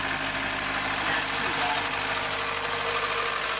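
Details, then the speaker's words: 1991 Integra at idle: rough idle with an uneven metallic knock at about three a second over a harsh hissy background. Owner suspects he turned the crank too many times during a timing belt change and considers the engine gone; serious internal knock. "Pretty not what it's supposed to sound like. Sounds pretty awful."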